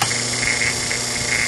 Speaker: this gap right here got so large this disc is so far away from that just just another half a turn that distinct the core can't pull that disc down away from that